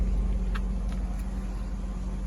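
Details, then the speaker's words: 1998 Oldsmobile Aurora V8, sat for years, warmed up after fitting new sensors; check engine and low coolant light still on (owner suspects sensor): deep, even idle rumble, no stumbles, surges or knocks; runs smoothly, normal idle. "So yeah, it sounds so good. Look at that. Sounds good."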